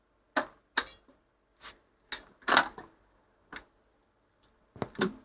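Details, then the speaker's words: 1960s Ferguson 3026 mono record player after smoothing capacitor replaced to cure 50Hz hum: autochanger set to 33 rpm with a 12-inch disc, sharp clacks and a heavier thud as it drops the disc cleanly. "go to 33 that's a 12 inch disc so this should I do reject it should now drop that disc down"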